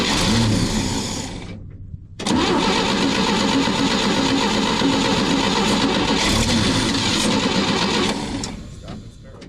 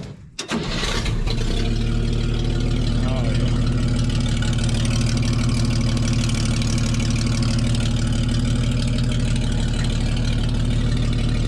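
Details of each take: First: 1961 Chevy dump truck after a dead or low battery left the starter stuck: a steady churn of about four turns a second that keeps going without catching. Long crank and hard start; old gas and the carburetor are suspected. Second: 1961 Chevy dump truck that had been sitting a while: it cranks briefly, catches quickly and settles into a steady, even idle with no knocks or misses. Healthy cold start.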